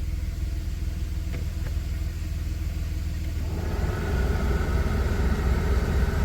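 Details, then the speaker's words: 1990 Dodge Grand Caravan LE idling after storage, AC presumed uncharged: low even idle, then a steadier hum and added load a few seconds in; owner thinks the AC compressor kicked in, not confirmed. "Um, it sure sounded like it kicked in."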